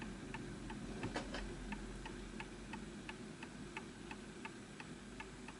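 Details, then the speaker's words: Antique Enfield Westminster-chime mantel clock, pendulum pushed off alignment: sharp ticks about three per second with mismatched gaps; slightly out of beat and will stop until the pendulum is realigned. "See, that's just off. Push it that way. So this will stop because you can hear that it's off."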